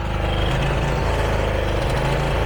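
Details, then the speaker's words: John Deere zero-turn mower engine hunting/surging: low drone rises and falls unevenly while carburetor governor linkage oscillates; pulse line and fuel filter already replaced, owner suspects dirty carb main jet or linkage; later fixed. "There's some linkage that goes like to the engine and the carburetor, and I can see as it's hunting for its idle, this linkage is oscillating, and I'm pretty sure that's the governor."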